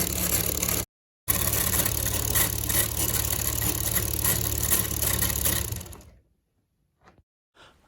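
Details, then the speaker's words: Homemade piston model engine, gear mount reinforced to stop limping, after over 24 hours running: even, steady clatter about four beats a second, no stumbling, then winds down and stops; runs smoothly. "cuma dari girnya aja ngegeser jadinya mesin masih lancar"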